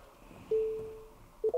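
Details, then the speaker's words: Tesla with Tesla Vision and no parking sensors, driving toward a parked Mini: a clean steady tone, then quick repeated pips as distance closes and the display reads stop; the parking warning works properly. "stop yep so that's working yep cool that's just test it wasn't a fluke do against another one again bing bing bing and it says stop so it's showing that that seems good"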